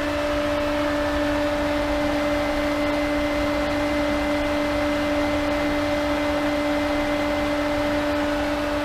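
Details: Variable speed pool pump at full speed, drawing almost 10 amps and 2.27 kW at about 80–82 gpm: constant clean motor hum with steady pitch and soft water rush beneath; normal running at full speed.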